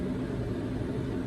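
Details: MaxxAir roof fan in 2018 Ford Transit van after circuit board replacement and DC-DC converter added: steady air rush and smooth motor hum while reversing, no beeping or shutdown as before; normal operation.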